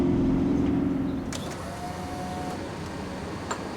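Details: 2000 Ford Explorer XLT 5.0L V8 AWD before repair: sharp squeal at startup fading as engine settles, worn serpentine belt slipping on tired idler pulleys and tensioner; fixed by replacing belt, upper and lower idlers, and tensioner.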